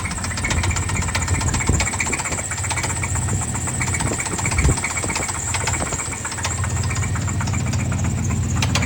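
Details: Chevy 350 5.7L V8 idling: deep, repeated knock from the bottom end over the rumble; spun rod bearing.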